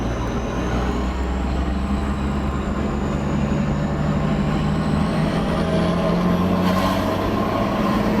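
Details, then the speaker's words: Car fitted with a new ball-bearing billet GTX2860 turbo (replacing an Evo TD05 16G), exhaust cutout open, under load; a high, clean turbo whistle climbs and holds over the engine drone. Spool is healthy and faster, but it only builds about 8 psi; a boost leak is suspected. "What do you reckon of the turbo sound? Fucking sounds mint."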